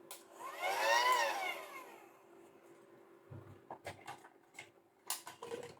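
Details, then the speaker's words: Intermittent battery-powered pump: small motor whirs up and down with a rough buzzy whine over a steady hum, then handling clicks; owner suspects the sealed motor sticking rather than the connection. "I'm going to say then it's the motor. It's not the connection, it's the motors getting stuck. I don't know, it's working now, mind. That sounds a bit noisy, I've got to be"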